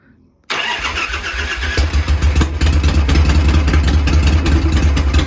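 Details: Bratted-out Harley Shovelhead V-twin after troubleshooting and soldered lighting/switch wiring: the starter catches and it fires right up into a lumpy, loping idle with deep uneven pulses, running cleanly.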